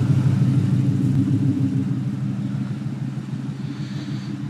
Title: Dang exhaust leak/problems